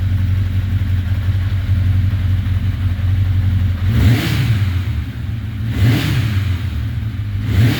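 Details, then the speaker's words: Rebuilt 1981 Honda CB900C motorcycle engine in break-in after restoration (carbs wanted to run on choke): steady even low rumble at idle with three smooth throttle blips, picks up cleanly and settles back; normal idle and revving. "Still doing good. I'll just crank it up for a second because, like I say, there's not much sense to keep running it."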